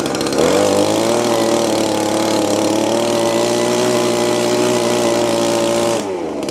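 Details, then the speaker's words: Old Echo blower after a small hang-up on the carburetor was fixed, which had held it at high RPM: a steady high buzz holds an even pitch for about five seconds, then drops off cleanly. It runs smoothly. "All right, that wasn't too bad, was it? Man, that sucker just seems to just go and go and go."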